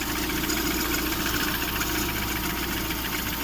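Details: Lada Priora 16-valve engine (126) at idle: loose, uneven tapping over a rough idle with faint rubbing, owner thinks it is near the timing belt; title suspects piston knock, cause unconfirmed.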